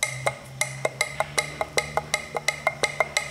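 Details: Audi 1.8 TFSI turbo with code P0016 (intake cam timing out of phase), weak and misfiring: sharp woody clacks about four to five times a second as the removed old intake camshaft adjuster's free play is shaken by hand; worn camshaft adjuster.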